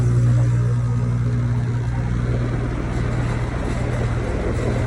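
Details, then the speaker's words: Outdoor AC unit recently leak-repaired: low steady hum with an uneven rattle once the compressor kicks on; technician suspects low refrigerant or the block, unconfirmed. "The compressor kicked on. Hear that rattling noise? Got a rattling. That's either low refrigerant or the block."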